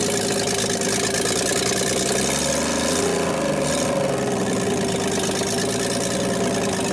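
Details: 1960s Rambler 195.6 engine on its first start, choke on, oil full: rough, loud idle with a hard, fast hammering knock; a heavy bottom-end knock that had likely been present before, cause not confirmed.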